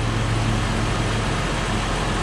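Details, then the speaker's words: Toyota Highlander wheel bearing heard through a mechanic's stethoscope: coarse continuous gritty rumble like a corn sheller, not smooth like the other side; this bearing is worn and needs replacing. "bueno pues este balero no lo he tocado aún pero se escucha casi sin las orejeras pero para poder comprobar voy a ponerlo yo y este se oye como una desgranadora de maíz señores y este va este balero va a ser el malo"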